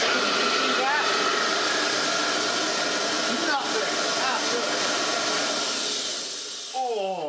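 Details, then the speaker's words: Restored Hoover Junior 375 vacuum after new bearings and a genuine bag were fitted: steady high rushing whir and strong airflow, even pitch with no surging or rattles; running normally. "Listen to the airflow. This is great."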